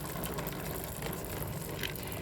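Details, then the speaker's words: Ray 50 Turbo scooter, new with 2,000 km, after lubricating a dry chain: engine ticking over evenly with soft drive hum, no dry chain rasp; noise gone after lubrication. "Vou dar uma lubrificada na corrente aqui e vamos olhar se o barulho muda. Tá vendo que o barulho já mudou? Não tem mais barulho. Então só a corrente ressecada, minha gente."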